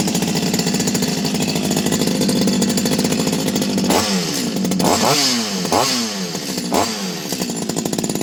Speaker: so nice running chainsaw nice noise everything works